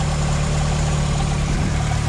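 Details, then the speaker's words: VW Mk2 Jetta with homemade exhaust, new coolant hoses, after sitting about 5.5 months: low, steady, even idle with no stumbles or knocks, coolant temp holding, no leaks; normal healthy idle. "took a minute to get started but also sat for like 5 and 1/2 months so it is what it is but again cool and temp holding perfectly we got a nice smooth idle up here"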